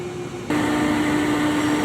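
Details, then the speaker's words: Dedicated AC unit cooling an industrial VFD cabinet, being recharged with refrigerant: after waiting, the compressor finally kicks on with a sudden jump to a loud, steady droning hum; noisy compressor start, cause undetermined. "It finally kicked on. You can hear the loud noise there."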